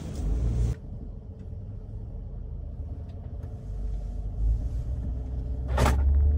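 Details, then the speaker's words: L322 Range Rover 4.4 TDV8 just started after refitting a disconnected intercooler-to-plenum inlet hose: low, steady, even diesel idle with no sign of smoke; disconnected hose appears to have been the problem rather than turbo failure. "all right she's just started up I'll put the hose back on that's idling there's no sign of smoke at idle"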